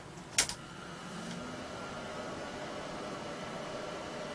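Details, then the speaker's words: Late-1980s Apricot XEN-S PC, first power-up during restoration: switch click then an even steady power supply fan whir with no rattle or scrape; fan running normally. "well it's powered up the fan switched on so so far so good"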